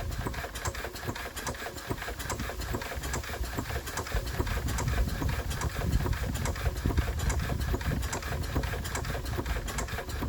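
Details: Enfield diesel with excess compression, suspected hydrolocked; water removed, rack off: slow, uneven clacking crank about two beats a second, never fires, still stops dead but somewhat better. Cranking no-start; head removal planned.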